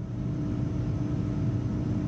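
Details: Packaged AC unit after resetting a tripped low-voltage transformer circuit breaker, fan call (G) jumpered: smooth, even low blower hum with steady tones and no knocks or scraping. The control circuit measured only 20 VAC, later corrected at the proper transformer terminal.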